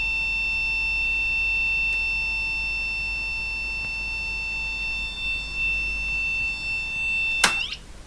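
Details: Olympia ESW 100-KSR typewriter terminal with power-supply fault: steady high-pitched tone nonstop from power-up; 5 V and 9 V present, 35 V reads 8.5 V (suspected driver leakage), likely nothing on the 35 V rail.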